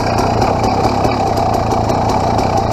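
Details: 2007 KTM XCW300 two-stroke just after a new fuel petcock and spark plug install, not yet warmed up: a crisp, even idle with steady popping and no stumbles or misses. No leaks; normal idle.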